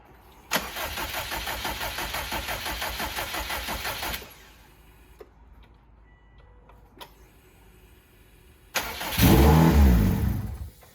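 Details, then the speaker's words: 2007 Subaru WRX swapped to STi engine after re-timing with marks lined up: steady cranking chug, pause, then catches with strong rising roar and runs cleanly before being shut off straight away; normal start. "go ladies and gentlemen she fired right up he shut it off straight away just to let you know"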